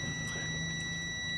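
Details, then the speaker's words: Multimeter continuity test on a vehicle with lost communication gives a steady high beep, showing the CAN low line is shorted to ground; wire cut to trace which side of the vehicle the short is on. "you can hear the beeping sound which tells me that that can line is short to ground so I have to trace it and figure it out"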